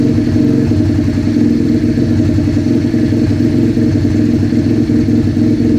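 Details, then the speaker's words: Rebuilt 125cc project bike, started with a drill, warming up: steady, even idle with a firm regular beat, no misses or knocks; running clean. "Still sounds like idle."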